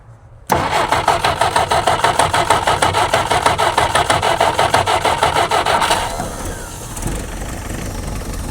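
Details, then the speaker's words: Jeep unstarted for 25+ years, first start attempt with spark confirmed: it cranks, catches and chuffs unevenly for about five seconds, then dies; it runs only on fuel poured down the carburetor. "It's purring like a kitten. Are you kidding me? [laughter] Just had to get a little bit of fuel down the throat and actually get down in there."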